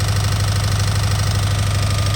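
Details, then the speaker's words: Subaru STI on first startup after the build: deep steady idle with a fast even knock in time with engine speed, seeming to come from the middle of the engine; owner suspects early connecting-rod bearing failure and will check the oil for metal. "early onset connecting rod bearings going out. It literally sounds like it's down the middle."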